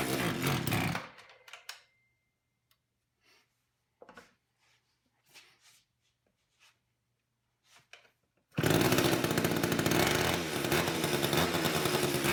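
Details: Long-stored old Craftsman chainsaw, chain off, choked and pulling its own fuel: fires and keeps running at a steady, even, busy buzz with no stumble; carburettor needs only adjustment, not rebuild.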